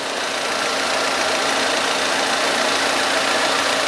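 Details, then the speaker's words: 2010 Ford Fiesta 1.0 after thermostat housing replacement, warm idle near 80°: radiator cooling fan switches on with a steady even rushing over a smooth idle, no knocks or uneven beats; normal. "tô conferindo só a questão da ventuinha estacionando ventuinha tudo bonitinho mas tá bacana não sei se vai dar para pegar ali a ventuinha ó ventuinha acionando"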